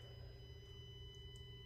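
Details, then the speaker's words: Constant faint high-pitched electrical buzz over a low hum from a brand-new Tesla Model X Plaid parked in a garage, car off and not plugged in to charge, on software 2022.28.2; source unknown, taken to service. "that really annoying buzzing noise that is coming from the car I hope you can hear it in the video it is a constant buzz"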